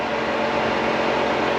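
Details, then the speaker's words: C4 Corvette already warm at startup, coolant about 201–202°F, before new fuel pump install: steady air rush and even hum as both electric cooling fans run, idle settling down toward 700 rpm; cooling fans running normally. "She's already warm. See that? Both fans are on there."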